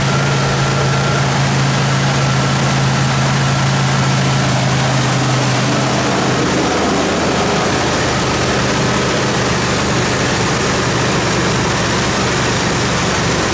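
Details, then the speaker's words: Junkyard bullnose Ford truck converted from EFI to carburetor, cold start: faint steady squeal over rough engine note for the first few seconds, then fades; owner blames clapped-out alternator belt loaded by the 3G alternator at start; suspected, not confirmed. "I got him getting some new belts for this thing that alternator belt it's pretty clapped out that 3G needs some juice when she starts"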